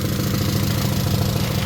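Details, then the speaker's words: Honda EK Civic with SOHC VTEC after an engine swap, running again after rust clogging the system was found and cleared: smooth, even idle with steady low beat, no stumble or misfire; normal idle. "I'm just glad I got it sorted out, boys. Car is running. Not misfiring. Nothing."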